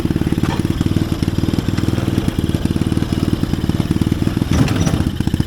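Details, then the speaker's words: Chinese-engined mini Jeep after replacement carburetor fitted: quick, even firing pulses at steady idle with no misses or surging; carburetor problem fixed, runs right. "well there you go guys we worked on the carburetor got it straightened out"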